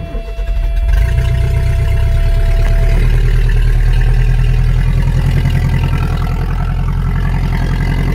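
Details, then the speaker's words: 1980 Subaru Brat, California car, always starts easily, blown-out muffler unbolted and removed: engine catches and settles into loud, raw, rumbling unmuffled idle. "I'll start it up here for you like I said it kind of sounds like crap because the exhaust right now the muffler was exploded actually out the sides"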